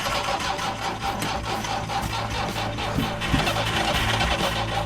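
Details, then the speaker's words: Soviet van after sitting about a year on old fuel, with mice in it: starter cranks steadily for several seconds but never catches; stale fuel suspected; extended cranking, no start. "oh it's so close when's the last time you put gas in this about a year ago that's why it's not starting"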